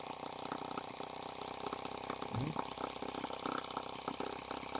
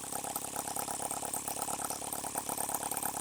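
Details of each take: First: H76 Microcosm twin-cylinder model engine on the bench, run wide open without its water-cooling cylinder fitted: fast, uneven popping with a loping beat as one cylinder keeps cutting out, so it misfires and runs on one cylinder. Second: H76 Microcosm twin-cylinder model engine on the bench with no leaks: quick, even chuffing with a light rattle and no missed strokes, running fast; normal running on both cylinders.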